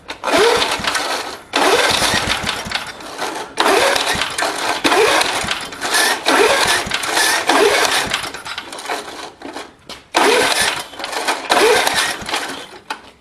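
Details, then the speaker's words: Old Gillson lawnmower with a 3.5 hp Briggs & Stratton engine, about 1971, with a replacement muffler. It catches in short bursts and dies repeatedly, and last time it was started with a screwdriver held in place. Owner thinks the carb needs work and the gas tank leaks. Hard starting. "That's how I got it to start the last time. I think the carb needs some work for sure."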